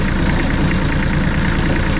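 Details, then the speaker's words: Bomag BMP8500 roller diesel, cold: slow heavy chugging at a lazy idle, each beat labouring near stalling; idle set too low, to be raised by adjusting throttle solenoid linkage. "cuz essentially when it's cool and it hits down close so when it's set to idle it just dies it just doesn't have enough idle to stay running"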